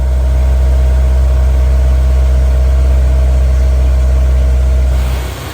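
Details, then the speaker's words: Honda S2000 CR, about 532 miles, after fitting low-mileage header, factory catalytic converter and factory exhaust to replace droning aftermarket system: smooth, even low idle with steady deep exhaust note, no knocks or misses. "And now it's got a factory exhaust system. Sounds so much better, especially for a 1,000-mile drive home."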